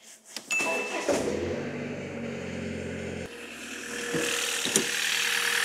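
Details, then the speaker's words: Used car cold start after temperatures fell below -10°C, owner reporting an intermittent rattle, muffler bracket suspected: cranks, catches, loud slightly rattly cold idle; louder from severe cold, judged no functional fault. "지금 갑자기 기온이 막 영하 10도 이하로 떨어지고 이랬거든요. 평소보다 엔진 소리가 많이 크게 느껴졌을 거예요."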